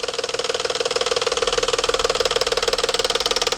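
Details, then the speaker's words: Cold-start idle; quick, even metallic tapping about four times a second, mic close to the engine, then stops suddenly; attributed to cam phaser knock, its internal spring mechanism likely catching up; typically heard first thing in the morning. "look see how it just stopped all of a sudden it just stopped because the cam phaser the spring mechanism inside the phaser likely caught up with itself"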